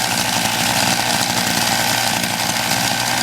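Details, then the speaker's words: MVS 10 gas scooter, cold start after four primes: steady, rapid two-stroke buzz at a fairly even high idle, choke left on until it nearly stalls; engine running on choke after cold start. "when it is running keep the choke on for a little bit until it's about to stall"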